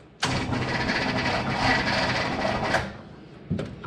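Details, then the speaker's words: 1967 Chevrolet Impala, 283 V8, Powerglide automatic, sitting since 2005: about two and a half seconds of ragged, slow, labored cranking then stops; starter sounds worn, can't spin engine properly; owner considers removing plugs and lubricating cylinders. "It's not good. Not good at all. I really don't want to take the starter off."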